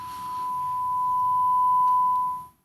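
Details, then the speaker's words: Gallien Krueger 400RB bass amp, test tone through master volume swells and fades smoothly as knob turns, no crackle or scratch; master pot clean, unlike boost control which has static. "the master is not making much noise at all and actually has a really good feel on it"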